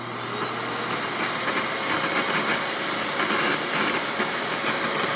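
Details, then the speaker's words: Hoover WindTunnel Anniversary Edition S3670 canister vacuum switched on at full power: steady rushing hiss that builds quickly then holds once the motor is up, just air escaping from the power brush; normal. "worry, that noise you're hearing is just air escaping from the power brush. But that's what it sounds like on full power."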